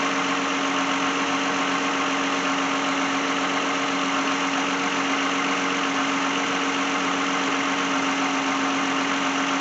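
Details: 2010 Lexus brought in for alternator replacement, idling during a charging check with the alternator at 13.9 V: a smooth, even idle with a steady hum and no knocks or misses. The engine is running normally.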